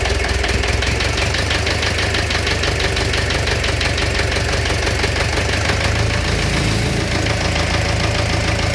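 A steady idle with a quick tapping knock about three times a second that holds at idle speed. It is an internal engine knock.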